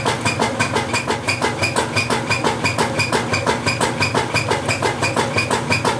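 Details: Whirlpool LSQ9200LQ0 washer during agitate cycle: sharp, very regular ringing knock about three times a second on each agitator stroke; loud knocking, cause unknown.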